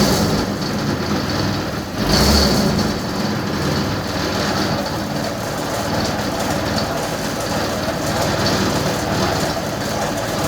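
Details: Yamaha Vino 125 scooter after starter clutch replacement (starter previously failed to engage when warm): starter whirs, engine catches about two seconds in, then settles into a steady, even idle with no knocks or rattles.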